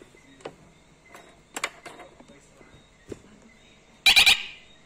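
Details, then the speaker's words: Pool alarm being activated: a few soft handling clicks, then three quick high beeps confirming it is armed and automatically in swim mode. "Et en émettant 3 petits bips."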